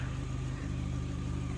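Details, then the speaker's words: Steady, even four-cylinder idle with regular firing and no stumbles on a 2017 Chevy Sonic after fixing P0300-P0303 misfire codes; engine light gone, running smoothly. "I had that engine light for so long oh my God now everything is fixed every single thing is fixed with an engine running smoother than ever"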